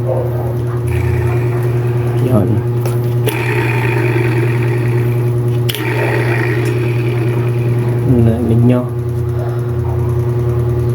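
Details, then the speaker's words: Hanabishi fully automatic washing machine motor spinning: steady low hum with a constant mid-pitched metallic ring that grows louder at higher rpm; gearbox checked fine by hand, worn motor bearing front or rear, to be replaced. "maingay hindi normal na yung ingay niya dahil pagka mabilis to pag mabilis na yung RPM niya yung ingay na to ngayon mag-cause pa ng malakas na ingay kaya ito ang may sira ito ang bearing"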